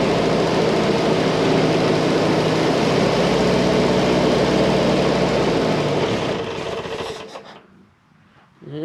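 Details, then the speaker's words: M151 petrol engine on about three-quarter choke after carburetor work, solenoid start: idles with a slightly uneven beat, still not quite right though much better, then shuts off. "she still don't want to idle quite right"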